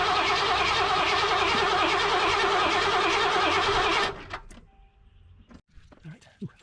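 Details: 1988 Mercury Cougar (Foxbody) after gas-tank cleaning, with 5 gallons of 91 plus cleaner: the starter cranks quickly and evenly for about four seconds with no firing. Fuel pressure is 40 psi, there is spark and no codes, and it starts on starting fluid; owner suspects the fuel injectors.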